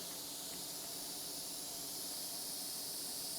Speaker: that's a new hole it's just come up so I'm gonna have to patch this hole it wasn't from one of the other holes that was there before